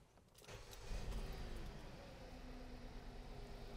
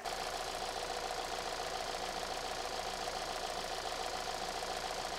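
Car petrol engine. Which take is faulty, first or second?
first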